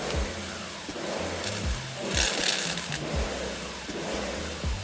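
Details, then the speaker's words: Sun Joe SPX3000 electric pressure washer (14.5 A, 2030 PSI): a low hum surges and drops about every two-thirds of a second. The pump pulses at low pressure because the trigger was cycled too fast; it needs time between pulls. "You hear it kind of pumping. So watch when I do this. See how it's a low pump? That's why you have to give it time."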